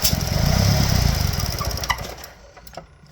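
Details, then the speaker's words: 2012 Chevy Cruze Ecotec engine (bought as needing a head gasket) at idle: purge solenoid vacuum hose pulled off, a big vacuum leak makes it burble unevenly, fade and stall. "You'll see the engine will almost die when I pull it off. Watch it just die. Yep. It It might cuz it's a pretty big vacuum leak."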